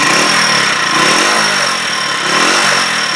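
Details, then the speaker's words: Huoniao HN125 motorcycle after repairs, warmed up 5-6 minutes: engine note rises and falls cleanly through each rev blip with a smooth, even buzz and no knocks or misses; revving normally, ready pending road test (rev counter still suspect). "Revved nicely. I mean, subject to a road test, I think she's ready."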